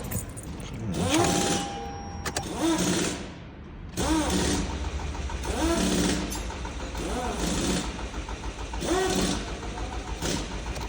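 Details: 2018 Toyota Camry, accident-damaged with a replaced engine, air flow sensor disconnected, several fault codes, possibly no fuel; fuel was poured into the intake. Repeated bursts of steady starter whirring with no firing; cranks but will not start.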